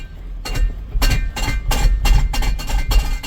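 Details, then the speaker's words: 2018 Ford Explorer 4WD with 51,000 miles, shifted into drive: repeated heavy clunks about twice a second over a low engine rumble; reverse engages more easily; engine judged good, transmission faulty. "that doesn't sound good at all sounds terrible all right so the motor is good you got transmission problems"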